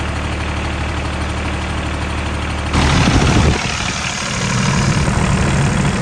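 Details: 2001 Caterpillar 302.5 mini excavator, Perkins 3013 diesel, after replacing the leaking oil pressure sending switch: a deep, steady clatter with an even beat and no misses or knocks. Normal idle.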